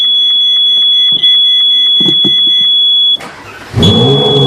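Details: 2013 Ferrari 458 Spider, parked: a constant high-pitched electrical buzz with faint ticking from the centre console near the roof switch; no dashboard lights or warnings, source unidentified.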